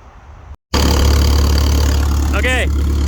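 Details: Clark forklift Continental Y-112 L-head engine on liquid propane, after a valve job for a head gasket leak, with timing set by valve position and erring slightly advanced: low, even idle drone with no knocks, misses or surging; normal idle.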